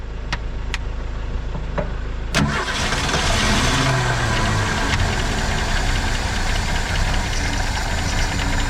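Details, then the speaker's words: 1970.5 Ford Falcon six, junkyard car sitting 28 years, jumper wire to coil, 2-cycle gas: a few sharp clicks, starter catches, fires into steady slightly rough idle; runs again, fuel leak noticed afterward. "Holy shit! I don't believe this thing runs."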